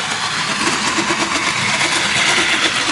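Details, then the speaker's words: 1949 Lionel steam locomotive running on track with motor running well: harsh high-pitched gear gnash about three times a second, loudest on corners, drive wheels out of quarter; gear grinding. "It's obviously not going to go too good with the wheels off. But as far as the motor's running great. So, yeah, I'm really happy with that. Hey, you can really hear it on the corners there."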